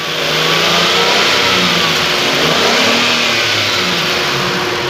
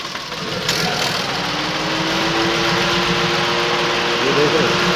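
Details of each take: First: Datsun Go that was misfiring, after replacing the faulty No. 3 ignition coil: engine revs climb and fall cleanly under throttle with AC on, no stumbles or jerking; runs smooth. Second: Datsun Go three-cylinder at idle with AC switched on: uneven, stumbling, shaking idle worsening under AC load, a dead-cylinder misfire.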